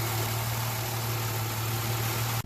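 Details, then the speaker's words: 2006/2007 Jeep Liberty after P0300 random and cylinder 1 misfire codes, coil swapped and wiped dry (suspected wet coil): steady, even, smooth low idle hum with no stumbles, code not returning; normal idle. "I'm going to take it for a spin in a little bit, but right now it's just running. It's pretty smooth."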